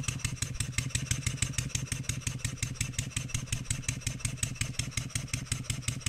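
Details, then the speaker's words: Stuart 7A steam engine run on air after adjusting the valve eccentric timing: quick, steady, evenly spaced chuffs, running much smoother and more evenly; it still knocks under an applied load. "sounds a whole lot smoother it seems like it's running a whole lot more even"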